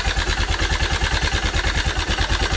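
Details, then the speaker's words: Honda Cargo CG150 single-cylinder, rebuilt a month earlier (cylinder, piston, camshaft, valves, timing chain), began knocking after a hill climb: idle at about ten beats a second with dry metallic rattle from a loosened cam sprocket bolt. "se escucha como si fuera distribución o las guías estuvieran ya echadas a perder."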